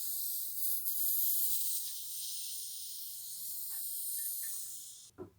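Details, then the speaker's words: Draining a radiator heating circuit at 0 bar to fit a thermostatic valve, with the attic radiator bleed valve opened for air: steady sharp hiss with brief gurgles as air is sucked in at the lower drain, as expected. "Voilà, là on entend un petit peu glouloulouloulou. Là il y a une aspiration"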